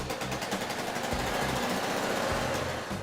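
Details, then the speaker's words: Old Honda C90ZZ (Cub) small single restarted after long storage; sharp puffing chuffs on the uneven beat suggest exhaust blowing. Exhaust studs suspected, small 6mm studs often rust and snap; not confirmed. "Sounds like the exhaust is blowing. Exhaust studs are stand."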